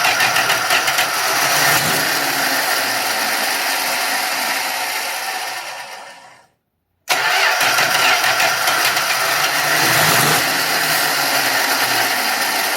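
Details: 1966 Dodge Dart 225 slant six, new cheap Autolite-style single-barrel carburettor gushed fuel: steady cranking about three turns a second without catching, a pause, more cranking; flooded engine, needle, seat or sunk float suspected.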